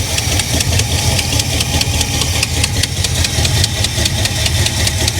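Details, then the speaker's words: 1985 Chevy El Camino V8, wrecked salvage car, after fixing a fuel leak with shortened hose and new clamp: deep, even idle with steady lumpy exhaust beat, no knocks or misses; sounds healthy. "she sounds healthy guys that sounds real healthy"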